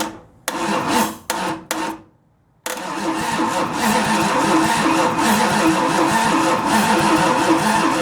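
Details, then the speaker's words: 1929 Chrysler with 360 LA V8, flexplate drilled to fit the converter and starter fitted, plugs in, weak battery: choppy starter bursts, then steady, strong, even turnover against compression, 35 psi oil pressure while cranking. Normal cranking with good compression. "well it's turning it over against compression not the best in the world but like I said that battery is not real good did turn it over pretty good there for the first few turns"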